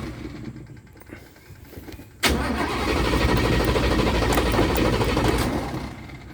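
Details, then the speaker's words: 1966 Toyota Stout engine: it cranks, catches sharply and runs unevenly for about four seconds, then fades and dies from fuel starvation; it needs gas. "need some gas yeah well yep yep she needs some fuel it's all right you know it runs you guys heard it"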